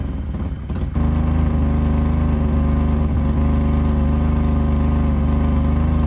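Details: 1985 BMW E28 535i with M30 engine, cold start at 19°F after sitting for months: catches and settles into a fast, raspy cold idle with a puffing pulse from a known exhaust leak where the headers meet the catalytic converter.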